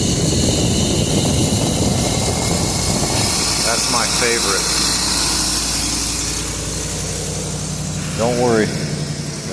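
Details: 2012 Ford E150 idling after a Dorman intake manifold replaced a coolant-leaking one: steady idle with a constant airy hiss from a vacuum leak at the new intake manifold.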